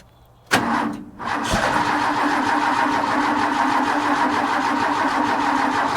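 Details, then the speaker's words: Ford bullnose truck, 300 cu in inline six, just converted from one-barrel to two-barrel carb: cold start without pumping throttle, starter cranks steadily about five seconds, no catch; needs pumping, choke needs adjustment. "I'm going to attempt no pumps, see what happens. But I'm betting we've got to pump it."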